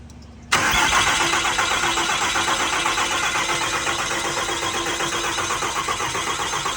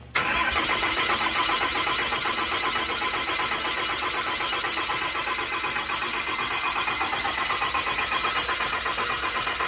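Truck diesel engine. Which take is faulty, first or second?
first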